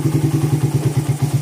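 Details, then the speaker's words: Suzuki Satria FU FL 2014 with a 66 bore-up and porting, after repair. Even thumping idle at about six or seven beats a second with no ticking or chain rattle: the top end is fairly quiet thanks to the new cam and cam-chain tensioner. "Jadi lumayan halus."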